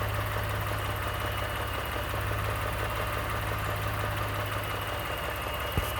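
Even idle with a light, fast rattle and tick riding over the low hum, a knock of unknown origin at idle.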